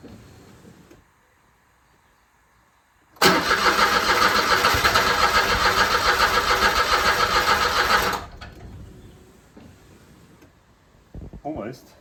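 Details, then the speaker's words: 2008 Smart Fortwo 451 Cabrio that sat outside 3 years with a dead battery, first start attempt on a fresh battery: starter cranks steadily about 3.5 turns a second for five seconds, nearly fires but never catches; no fuel or 3-year-old fuel suspected. "Sounds like it wants to go, but there's probably no fuel, or the fuel is probably 3 years old."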